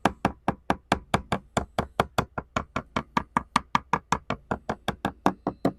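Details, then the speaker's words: 1969 Iroquois Mk2 catamaran deck, hand tapping on the port bow: dull hollow knock with no solid ring, indicating delaminated, rotten balsa core. "but if it's dry and it's delaminated it'll sound hollow because there's going to be air in between the laminate and this outer skin of fiberglass"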